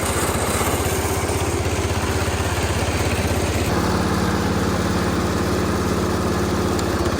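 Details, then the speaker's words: Massey Ferguson 16 garden tractor with old Kohler engine, revived after sitting since about 2013 and fitted with a replacement aftermarket ignition (33-393): steady chugging, then a smooth step up in speed held evenly, no misses or knocks; running healthy. "This is awesome. These old Kohlers, man, you really can't kill them."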